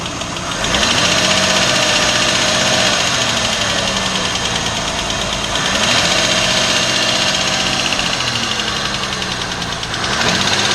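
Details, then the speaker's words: Petrol engine running with a light, fast, even valve or tappet tick, about four per second; considered a medium-risk noise, usually not serious if brief only at cold start, but constant and loud ticking can wear valves. "Valve or tappet noise. This is also one of the common sounds in cars, and it's considered a medium-risk sound."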